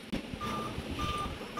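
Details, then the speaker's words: Dell Inspiron N5040 laptop at power-on: three even mid-pitched beeps, each about a third of a second, repeating continuously while the screen stays dark; 3-beep startup error code, no display. "ये बप के भाव अब आप सुन रहे हैं तीन बप तेरा ही है और रेगुलरी कंटिन्यूसली गिफ्ट दे रहा है ये स्क्रीन के ऊपर इसका डिस्प्लेस शो नहीं हो रहा तो यही प्रॉब्लम ए रही है"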